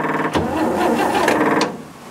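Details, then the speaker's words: 1940s barn-find Chevrolet truck with gas straight-six, start attempt: a few short, labored starter turns that never catch. Slow cranking; the battery sounded weak, and corrosion was then found. "that battery sounded weak"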